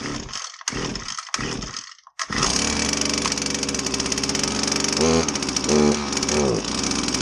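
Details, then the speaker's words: Husqvarna 322R brush cutter, unused for a while, with fresh fuel possibly added on top of old fuel. After priming it starts but runs rough and buzzy, revs sag instead of picking up: bogging, lack of power. Carb rebuild planned. "when he gets it started it just kind of bogs it doesn't have any power"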